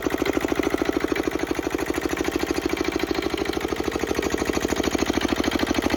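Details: Petter AA1 single-cylinder diesel water pump, started cold after sitting a week: even, regular diesel beat with a light injector-pump clink, no misses or knocks; healthy, steady run.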